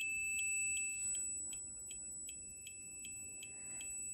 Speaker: Okay, that sound right there, when you place your probes together, that's showing continuity.